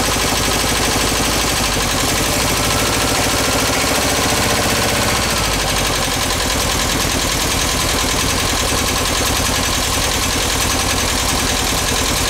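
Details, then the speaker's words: Rescued VW bus engine, cold start on a gas can feeding an uncleaned carb: loud, clattery idle with an irregular skipping beat, one cylinder skipping, valves to be adjusted. "yeah what one cylinder skipping we're going to go adjust the valves"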